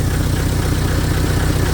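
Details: Hyster R80 forklift diesel at first startup after fitting a remanufactured injection pump and rebuilt injectors: a steady, even, low diesel clatter at idle with no misses and no smoke. The new injectors work well.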